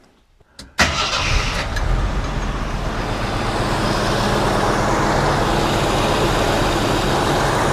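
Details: 1982 Jeep CJ Scrambler after swapping its Weber 32/36 for a Motorcraft 2150 carburetor, with timing about two to three degrees from TDC: a short crank catches at once, then a steady, even idle with no misses or hunting.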